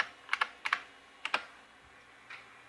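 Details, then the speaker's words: IBM PS/2 Model 30 286 running DOS 3.3, floppy drive reading a Windows 3.11 installer disk: short paired head-stepping clicks in a few bursts, no grinding or scraping; normal floppy read. "here's a floppy drive floppy disk let's see if it actually uh this one reads"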